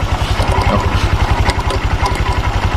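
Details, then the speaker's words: Honda Vario 150 scooter idling with rough rattly chatter from CVT area over a steady low pulse, rear wheel turns at idle and engine dies when braked; recently replaced rollers and clutch; clutch shoes suspected sticking to bell (clutch drag). "Area CVT-nya berisik kayak gini. Coba direm pah ya, guys. Bet pencet. Oh, mati langsung. Jadi dia CVT-nya itu di bagian kampasnya dengan mangkoknya kayaknya dia lengket gitu."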